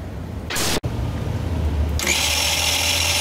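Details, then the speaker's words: Tao Tao Pony ATM50 scooter (50cc GY6 139QMB) at about 1660 km, which died on a rainy commute: starter spins the engine but it never fires; no spark at the plug, and the owner suspects the CDI got wet. "yep no spark try again no spark at all so i don't know if i got the cdi too wet here or what"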